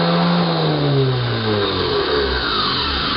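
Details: Starter motor on a bench, powered by a battery through a solenoid and fuse: a loud, smooth electric whir sliding gradually lower in pitch without grinding or catching; normal free spin.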